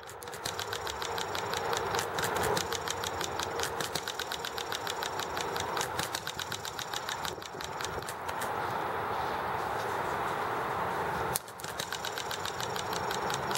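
Quick, light ticking firing beats that drop out for short coasting gaps and then pick back up: the model engine is governing normally on its hit-and-miss cycle.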